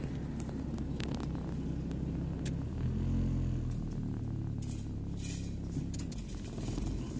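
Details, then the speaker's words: GLI 4A-FE, warm engine with an already high idle: rumble drops as the AC compressor engages, then slowly climbs back; mechanic plans to check the idle/fuel-vapor solenoid, cause not confirmed. "Bagsak muna bago umakyat."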